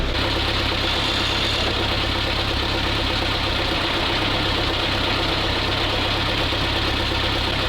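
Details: Old ZIL crane truck diesel, no oil pressure reading yet, test run during restoration; steady even idle with firm low rumble, no knocks or misses, running more crisply than before: normal idle.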